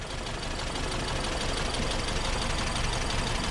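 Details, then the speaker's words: 1964 VW Type 34 Ghia engine, first start after sitting since 1983, carbs rebuilt: rough uneven idle with sharp puffing tick about three a second on one side; spark plug suspected loose, leaking compression. "we're getting kind of a kind of a goofy sound over on this side i don't know listen to this i think that plug's loose"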